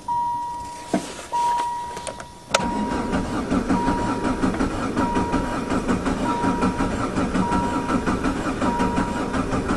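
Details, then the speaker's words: Diesel caravan van with a converted Jetta engine, sitting since fall, with a corroding injection pump; cold start lever and glow plugs used. Repeated starter churning under a dash chime, with compression beats but no firing; the injection pump seemed empty of fuel. It was fixed by hand-priming the pump with diesel. "take two i have primed the injector pump i did that by unhooking the fuel line and using the squeezy bottle and squeezing hand pressurized diesel into the injector pump it did seem empty"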